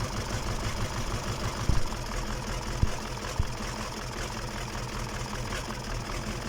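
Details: KamAZ diesel engine on its first start after a major overhaul: an even, steady idle with a low, constant rumble and only a few stray clicks. Normal idle.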